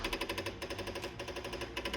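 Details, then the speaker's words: LiftMaster Pro 1/2 hp garage door opener: a fast, even snapping about six times a second when plugged in, with the light strobing and no motor run-up. Relay chatter on the logic board is suspected; replacement board 41AC050-1 is being tried. "the complaint today is that the motor is making a snapping sound and the light is strobing when you plug it in"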